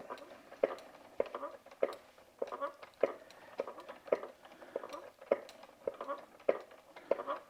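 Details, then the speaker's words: EVE double-drive spinning wheel, well used: a knock about once a second from the treadle with a short squeak on many strokes where the wooden treadle rubs the front frame. "the the kind of squeaky squeakier sound like all right all right type sound that's from the wood and the treadle going into the going into the front frame"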